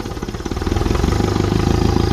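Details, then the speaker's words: 1955 Ferguson 20 TEF diesel tractor after fuel system work, driving through gears: quick even diesel pulses under load with a loud breathy turbo-like roar; noisy air intake, not smoky, nothing harmful. "It's a bit noisy on that air intake, so don't mind that. Sounds like a turbo."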